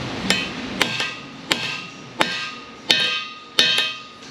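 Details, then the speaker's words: GM 10-bolt rear end rebuild on a Firebird: pinion bearing race driven in with a tool, six sharp metallic taps whose tone rings brighter and more solid as the race fully seats in its bore. "And you can hear the change in the tone when the bearing fully seats, just like it did on the bottom too."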